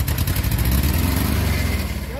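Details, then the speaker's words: VW Beetle-type engine in a stalled Combi with fuel and spark present, run on fuel poured straight into the carburettor. It catches with a low, uneven rumble. A fuel delivery fault is indicated, and a failing fuel pump is suspected. "Este es por gasolina a mejor está fallando la bomba"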